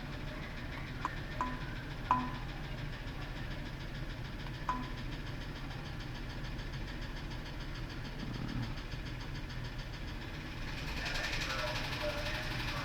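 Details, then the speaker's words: F-150 with 180,000 miles, idling: uneven stumbling beat with sharp ticks. Scan tool shows a misfire and P0325 knock sensor code; sounds almost like valve train; misfire. "almost sounds like B train but it also has a misfire as well see 325 knock sensor imagine that"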